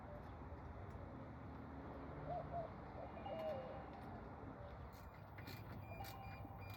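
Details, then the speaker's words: Semi truck being repaired for a rotten-egg smell, with a power circuit reconnected before start-up: faint repeating beeps over a low steady rumble. Normal warning beeps after power reconnect. "All right. So, you can hear the beeping. So, you know we got something back connected."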